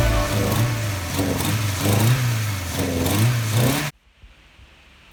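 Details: MK2 Golf 16-valve track car after fixing its misfire (it had idled on two or three cylinders and cut out on throttle; timing well out, loose bolts): engine pulls up cleanly through throttle blips without cutting out, now running on all four.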